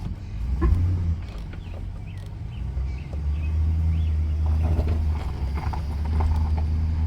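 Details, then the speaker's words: 2005 GMC Sierra 4x4 after new CV axles and tie rods, in four-wheel drive turning very hard; steady low engine hum, previous click-click-click gone; front CV joints healthy. "Yeah, no clicky click noise now. We'll turn it back hard."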